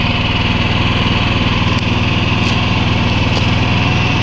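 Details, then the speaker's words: New Predator 11,500 W inverter generator, brand new and meant to be broken in with no load (maker advises under 70% load for the first 30 hours): a smooth, steady small-engine drone with constant pitch, no surging or knocks. It runs normally without load. "So, I had to break it in with I have to break it in with no load for about 30 hours."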